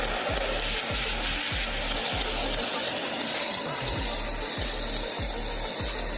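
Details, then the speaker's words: Gas cutting torch at startup: harsh roaring hiss pulsing about three times a second, strong vibration and loud noise; owner suspects the nozzle needs cleaning with thread and resetting. "ये torch vibrate बहुत हो रहा है और आवाज भी बहुत आ रही है। लगता है इसका नोजल साफ करके धागा डाल के फिर से सेट करना पड़ेगा।"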